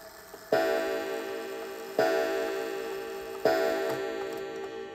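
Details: Antique count-wheel kitchen/parlor clock being set to time: three clean bell strokes about 1.5 seconds apart, each fading evenly; healthy strike counting three o'clock.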